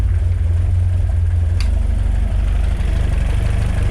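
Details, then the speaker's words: Peugeot 205 GTi Mi16 just after fitting a new inlet manifold gasket and clamping against a suspected air leak: the engine has come off the map and gives a slow, deep, lumpy idle set too low. It is still not right and needs mapping. "just a little bit low. Yeah. Still not right, is it?"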